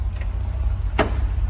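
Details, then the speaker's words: 1969 Chevrolet C30 truck, sat 20 years, manual transmission with PTO just refilled with fluid (still a quart low): idling in neutral with clutch out, only a steady low hum, no clacking; transmission quiet and healthy. "Listen how quiet that transmission is now. Even with the clutch out. Clutch out. Not in gear."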